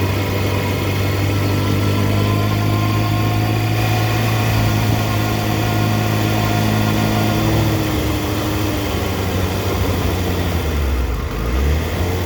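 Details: 2004 Yamaha FZ6 with an immobiliser eliminator, misfiring as it drops to idle, down to 970 rpm against a specified warm idle of 1260-1320. Falls from fast idle to an uneven, stumbling beat; owner suspects a bad ignition coil, an age-related fault.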